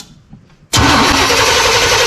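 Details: 1987 Chevy V10 pickup with TBI, first start after the throttle body was rebuilt and a new fuel tank and pump fitted: a short crank, then it catches at once and settles into a steady idle. Clean start.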